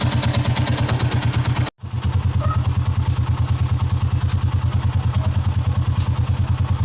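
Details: Sniper 150 motorcycle after idle adjustment for hard starting, standard idle 1,300–1,500 rpm, below 1,000 rpm hard to start: steady, even putter at low idle with no misses or stumbles; normal idle.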